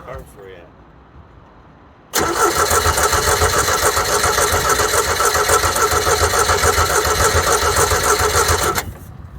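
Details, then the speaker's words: Caravelle boat engine, first start of the year, not run since last summer, choke knob pulled: steady cranking at three to four compressions a second for about seven seconds, never catching; later primer bulb found. Cranking no-start. "you pull that little knob out yep like i said she hasn't ran since last summer oh it sounded like she wanted to try right there did you hear that"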